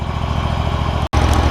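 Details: John Deere ZTrak Z915E zero-turn mower, Kohler Command CV742 25 hp V-twin, 341 hours, sat 2 years; after carb cleaning fixed sticky solenoid no-fuel issue: steady even low thump at idle, no misses or knocks, normal healthy idle.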